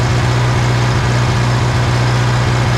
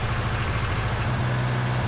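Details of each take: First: 1960 John Deere 1010 diesel after engine rebuild, just after adjusting injection pump timing to cure smoking: deep, steady chug with an even low beat, no knocks or misses; running great. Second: 1960 John Deere 1010 diesel after engine rebuild, idling before injection pump timing adjustment: harsh, uneven clatter with a lumpy low beat; pump timing was out, and correcting it made it run smoothly.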